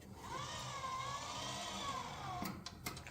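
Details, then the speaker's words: 1967 Camaro hidden-headlight door cycling: the electric motor whine wavers, uneven and strained; something is wrong in the door motor, cause unknown. "now listen to this one something's not happy in that motor so that's another thing I'll have to start looking into"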